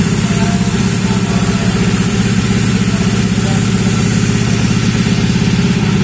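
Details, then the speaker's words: Honda Vario 125 bored up to 140cc with FIM piston: fast idle with coarse, uneven clatter over the exhaust beat, running rough; torn down hot right after, a part found wobbling loose. "Nah teman-teman setelah kita mengetahui suaranya mendengarkan dan mengetahui hidupnya tadi hidupnya agak kasar ya"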